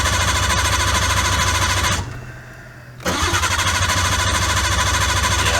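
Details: Nissan R32 Skyline cranks steadily and fast, about three turns a second, pauses, then cranks again but never fires: crank, no start. Relays were already replaced and an ECU swap is being tried. Cause suspected, not confirmed.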